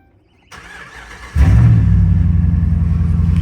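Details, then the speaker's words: 2011 Ram 1500 5.7 Hemi 4x4, crank-no-start for two months, first start after a temporary 20-amp jumper fix: brief cranking, catches at once, strong steady V8 idle without stumble; normal start. "And it's alive."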